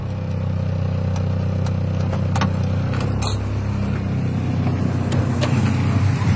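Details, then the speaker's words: Honda Civic with new timing belt and tensioner and the transmission repaired, running with heavy vibration noted: a low idle with light, uneven ticking from the top end; the rocker arms and valves are noisy. "Pansinin niyo yung tunog ng rocker arm niyo mga boss Bossing Ayan maingay po yung tunog ng balbula"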